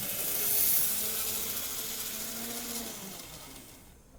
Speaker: i think we got rid of the squeal which is nice um i've not fully run this yet so i think that's the next thing